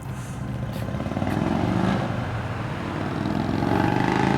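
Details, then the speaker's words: 1989 Harley Softail with a 93ci panhead conversion stroker motor (3-5/8" bore x 4-1/2" stroke), after a carburettor tune-up, pulling away: deep, even V-twin thump climbing smoothly with no flat spots. Normal acceleration. "the Gauss I don't hear no flat spots in it no I'm good sound looks good"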